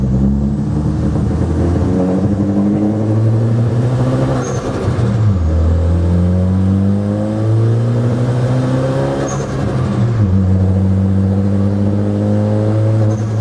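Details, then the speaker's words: Ford Focus ST after track day, boost leak fixed and new charge pipes fitted: engine note swells and sags every few seconds at light throttle and low load, RPM surging/stuttering; tune issue suspected. "I'm barely accelerating and the RPMs kind of fluctuate up and down like really bad."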